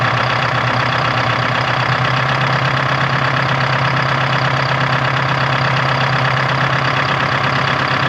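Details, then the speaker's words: 1976 Ford F250 with a Detroit 4-53T two-stroke diesel: a loud, fast, rough idle with an uneven, slightly hunting beat. The idle was just adjusted and still isn't set right. "so i adjusted the idle i started playing with it ain't right yet so it's like a digital attack"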